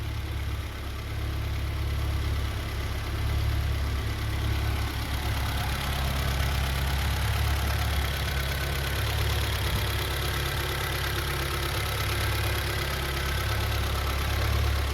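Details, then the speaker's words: 1982 BMW 320i after fuel tanks, pumps and line reinstalled, injectors cleaned, vacuum leak fixed, idle air control valve cleaned, reconditioned battery, near operating temperature; some smoke and oil leak noted: low even steady warm idle, no misses or knocks. "I have not changed the oil I not changed any of the belts I just put a little uh new reconditioned battery I cleaned the fuel injectors pulled them out um fixed the vacuum leak cleaned out the the air slide valve or also call like an idle air control valve and it sounds great it sounds great I'm absolutely thrilled"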